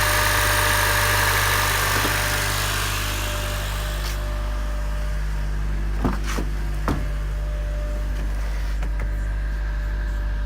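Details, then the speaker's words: Honda K24Z3 K-series engine idling smoothly after a DIY valve adjustment: even low drone, no valve ticking; running healthy. "Go outside, make sure there's no ticking in the valve. Sounds good."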